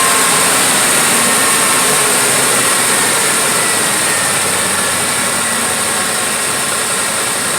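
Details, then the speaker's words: 2006 Ford F150 XL, 4.6L V8, cold engine, after throttle body replacement to fix no acceleration (idle only; gas pedal already replaced): steady smooth idle, revs on throttle blips and returns to idle. Fault repaired. "all right look so good guys it looks like it turned on it idled up because it's obviously a cold engine and I punched the gas once twice you heard it and it idled right back up"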